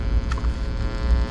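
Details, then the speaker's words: Unshielded prototype tone-stack board on a tube amp test harness, compared with a shielded enclosure: steady low mains hum with buzzy overtones and no rhythm; hum pickup from the unshielded circuit. "i want to show you guys the importance of shielding using an enclosure like this just to show you i'm not lying there it is"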